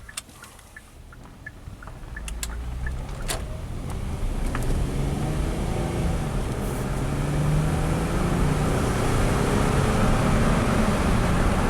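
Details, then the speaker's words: 2016 Hyundai Santa Fe after replacing broken GDI injector #5 with OEM part, test drive: engine climbs smoothly through gears under acceleration, no hesitation or missing, still trailing blue smoke burning off fuel; normal running under load. "Burning off that fuel. Hey, it drives great again. There's a cloud of blue smoke behind us."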